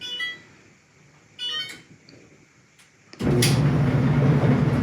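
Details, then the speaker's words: Electrolux front-load clothes dryer after the front was removed and reassembled to cure a loud rumbling, as if shoes were tumbling: two control beeps, then a smooth, even low rumble with no thumping; normal operation. "Ah that's what a dryer is supposed to sound like success well we got the job done we got the outcome we were looking for it doesn't make the same noise that it was making before"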